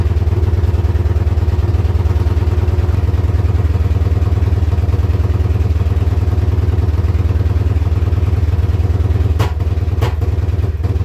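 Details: Yamaha Wolverine quad with holed exhaust: low, lumpy thumping at about three beats a second with a slight stumble near the end; rough idle traced to a bad handlebar switch, runs well unplugged.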